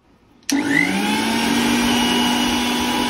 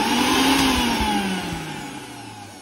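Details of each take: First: Mixer grinder after replacing its faulty regulator switch, which had stopped it running when switched on. A smooth, even motor hum rises and dips slightly with no rattles or cutting out. The problem is solved and it runs normally. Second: Usha mixer grinder before repair: switched on, it doesn't run, but it starts when the switch is pressed slightly. The motor whine fades and drops in pitch as it coasts down when the switch is eased off. The regulator switch is faulty.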